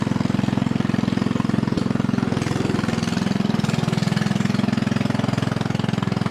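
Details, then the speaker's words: Mowing tractor with Kohler overhead-valve engine, muffler removed, running a three-inch straight pipe: loud raw steady popping beat about three and a half pulses a second. "basically it's just straight piped and it's only about a three inch straight pipe anyway so it's gonna be a little bit loud [Music] sounds kind of good really but it's kind of loud"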